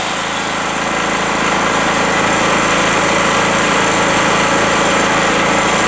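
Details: Rotakt generator on first-start day, warming up with no load, choke at run, 232 V output: steady, even buzzing idle at constant speed with no hunting, knocks or misses, healthy.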